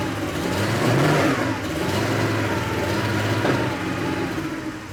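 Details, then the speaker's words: Rough running from a faulty flywheel rpm sensor signal on a 1987 Porsche 911 Carrera 3.2 engine on a test stand, first start after sitting for years: stumbling, surging revs, heavy exhaust popping, suspected unburnt fuel; fuel pressure about two bar. "just getting a lot of popping out the exhaust which I think is unburnt fuel just smells like gas in here it's really popping"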